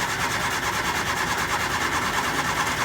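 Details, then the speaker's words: 1967 Triumph Spitfire Mk II with starting and idle trouble: even cranking at about two beats per second never catches. With the fuel line disconnected, the mechanical pump diaphragm flaps but delivers no fuel. Cranking no-start, fuel pump not delivering. "The diaphragm is working, but I don't see any fuel. Well, it's also not steady."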